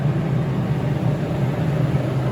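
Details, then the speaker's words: New York Blower steel exhaust blower, 0.5 HP, three-phase 480V, 960 CFM, 1490 rpm, built 2003: steady even low hum with constant airflow rush, no knocks, rubs or pitch changes; normal running. "It is a three-phase blower. We'll turn it on now so you can see and hear it in operation."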